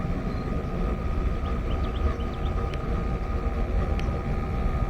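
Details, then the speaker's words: 90% Goodman gas furnace after a maintenance tune-up, with combustion readings now in range. The burner gives a steady, even low roar with a faint constant hum and no surging or popping. Burner operation is normal. "Everything's right in range now. Perfect. Just quick adjustment. Awesome. It sounds like it made a world of difference."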